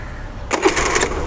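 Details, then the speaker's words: Honda Activa 125 after fixing a starter motor overload problem by setting the decompression system and valve rockers, on the old uncharged battery: it starts instantly and picks up into a clean, steady run; normal quick start. "Friends തൊട്ട ഉടനെ start ആയി"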